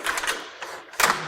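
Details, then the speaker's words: Carefree of Colorado manual RV awning on a 23-foot Jayco: short rough scraping grabs in bursts as the powder-coated aluminum arm slides and catches in its channel; silicone or graphite lubricant recommended. "catching in this so there's just a you know you've got you've got a powder coated aluminum on these and they have a tendency to kind of grab a little bit"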